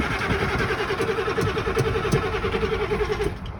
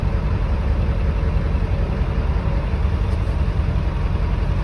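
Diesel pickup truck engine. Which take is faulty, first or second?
first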